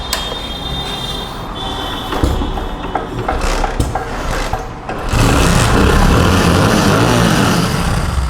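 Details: Motorcycle after its rattling silencer was repaired by welding the pipe: fires up and revs with a steady, full exhaust note, no rattle; silencer sounds sound and tight.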